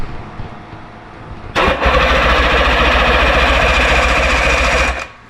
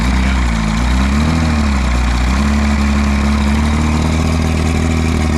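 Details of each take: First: 1958 Johnson Super Seahorse V-4 outboard, unstarted 5+ years, on choke: about 3.5 seconds of steady cranking chug, roughly four pulses a second, no firing; spark confirmed, owner suspects insufficient fuel delivery, magnetos possibly dragging. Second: 1958 Johnson Super Seahorse V4 two-stroke outboard, first run after 5+ years sitting: steady, even low burble with no misses or knocks, though it probably needs a tune-up; normal idle.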